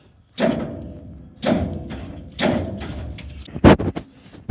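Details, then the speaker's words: Link-Belt LS40, engine long sitting with penetrating oil in the cylinders, starter reinstalled and jumped from a battery: three heavy thuds without turning over because the engine clutch is stuck; the gears show lots of bearing play. "It wants to crank, but the engine clutch is obviously stuck. I hope that ain't going to be too big of a problem."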